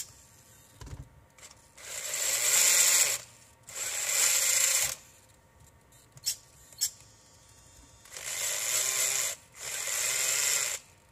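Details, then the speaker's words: RC4WD Trail Finder 2 with a new Holmes Hobbies Torque Master 540 Sport brushed motor, new pinion and Tekin FXR ESC, run forward before shifting the two-speed transmission. Each throttle burst brings a loud, high-pitched gear whine. Mesh looks right; cause unclear. "for some reason the gear doesn't sound right to me how loud it is I don't know if it's it looks like the mesh is good so I'm gonna have to double check that"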